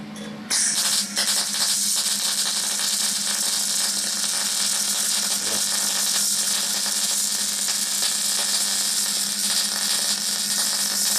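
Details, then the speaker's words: MIG/MAG welding on sheet metal at medium power with the wire feed speed adjusted: an even, continuous hissing crackle over a faint steady hum, with no popping. A slight crackle indicates the correct wire feed speed. "on va voir maintenant le réglage du défement du fil en faisant avec une puissance moyenne des vous allez voir à différentes vitesses d'avancement du fil écouter la différen de bruit braur donc pour bonne vitesse il faut un peu crépiter la soudure"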